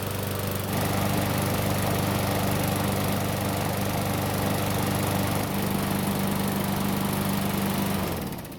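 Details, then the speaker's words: Free Murray mower given away over carburetor trouble, hot after several minutes of running: runs steady and even at constant speed with no knocks or misses, then shuts off cleanly; normal running, hot restart fine. "It started up just fine, ran great, and even started back up when it was hot."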